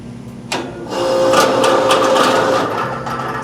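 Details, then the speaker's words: Older Rheem-style AC condenser fan motor with no capacitor, loud enough to keep people up at night. Rough, uneven whirring with faint chatter about four per second as the motor slips on the blade; compressor sounds fine. Failing condenser fan motor. "it's definitely coming from the fan. It sounds like the motor's slipping on the blade. So, that's a good sign. Compressor sounds good. What it looks like is we got a shot motor."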